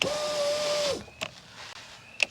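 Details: 2001 Chevy Silverado 2500 HD (GMT800) rear door power window after replacing a previous owner's incorrect regulator and installing a new Dorman window motor: smooth steady motor whine, then a few light clunks at the stop; window travels cleanly and operates normally.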